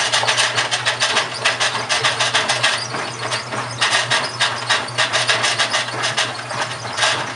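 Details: GE washing machine, model WHDSR315DWW, bought 2006, grinding while running: harsh rasps pulsing about three to four times a second over a low hum; owner suspects the transmission is going bad, unconfirmed.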